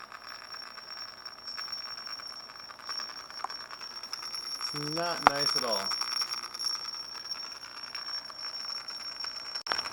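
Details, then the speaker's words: Google Cr-48 laptop playing Pandora: the speakers give a thin, steady, very high whine with a brief buzzy burst midway. Electrical speaker noise; a restart cured it. "i went to play pandora on my cr-48 and i started making this god-awful noise i'm not sure what it's all about"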